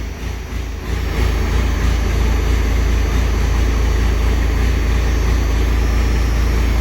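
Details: Second-gen diesel hotshot truck with new 50-over injectors: heavy, deep diesel clatter settling into a steady loud idle, smoky exhaust; running normally.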